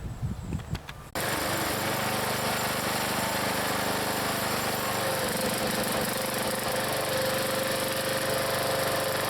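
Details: Log splitter's small single-cylinder engine, in cold weather: catches and holds a steady, even beat around four pulses a second, no misses or knocks; normal running.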